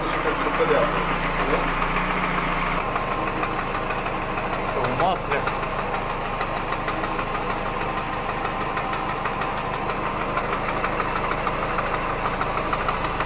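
Idling engine with a steady, fairly quick knock running through it; a knock from inside the engine, cause not pinned down.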